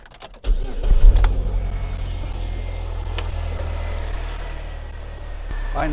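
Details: 2006 Pontiac Solstice after starter and alternator replacement, jumper cables once crossed, running with jumper box then disconnected, battery reads 14.2 V: cranks and catches quickly, settles into a quiet, steady low idle; normal idle.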